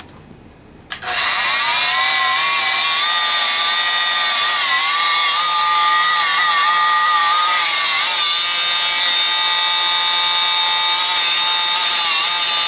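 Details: Rockwell Sonicrafter oscillating tool after a cracked speed-control resistor was replaced: a loud, high buzzing whine runs flat out with small pitch wobbles, and speed can't be held. The owner suspects a further fault in the speed control circuit.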